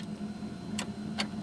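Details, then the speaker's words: 1975 Toyota Corolla KE35: turning the key gives only a few sharp isolated clicks over a faint hum, starter light comes on but nothing turns over; battery not dead, owner suspects failed starter motor, hopes not electrical. "You can see it go on. There's just no noise. There's nothing. So, there's something obviously going on with the starter motor itself."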